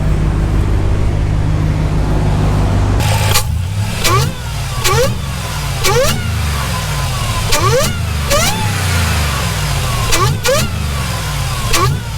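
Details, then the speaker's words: Dodge RAM 1500 with swapped 6.2L supercharged Hellcat V8, early run while still topping up coolant; rough idle with revving bursts and faint rattle beneath; owner suspects supercharger blades chattering at idle, unsure blower is healthy. "all right only thing you guys is i'm not sure if this blower is gonna be healthy you can i don't know if you guys can hear right now but it kind of sounds like a bit of you can hear the actual blades on the supercharger like it's kind of making a little bit of chatter at idle"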